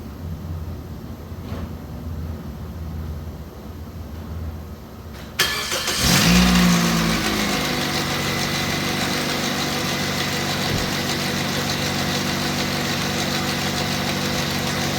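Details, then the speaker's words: 2005 Pontiac Vibe 1.8, high mileage, idling with all accessory belts off: fast, steady metallic rattle from the timing chain area; suspected loose chain or broken tensioner, before timing chain, actuator and water pump replacement. "Hope with all the belts off. It was still making the sound. So probably go to God loose broken tensioner or something"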